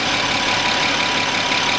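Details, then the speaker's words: 2007 Audi Q7 3.6 with power loss and ECU codes including P0430 and P2401: steady high whistle over warm idle, appearing at 63°C coolant and clear by 65°C, not rising with rpm; vacuum leak from torn valve-cover PCV membrane. "сейчас прогреваю двигатель и мне нужно показать свист такой появляется при прогретом двигателе вот при температуре 63 градуса легкий свист появился при 64 сильнее при 65 уже вот этот Явный слышно"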